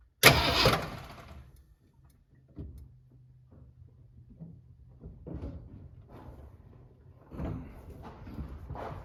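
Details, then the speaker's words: 1967 Ford Galaxie 500 sitting since 2008, fed from a jerry can through the fuel pump with gas down the carburetor: loud burst on firing, then faint low hum and sputters dying away; it stalls from a lost battery connection. "had run but I lost connection so that's great oh we'll try again"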